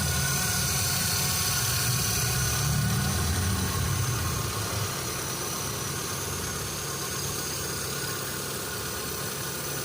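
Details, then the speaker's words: Old-model Hyundai Santro that missed and stalled in first and second gear with poor sudden acceleration; after fuel motor and injector cleaning failed, a used part swap cured it: smooth steady four-cylinder idle, no stumble; healthy. "അപ്പോ നമ്മൾ പഴയ second range മേടിച്ചു മാറ്റിയപ്പോഴാണ് ഈ complaint മാറിയട്ടോ."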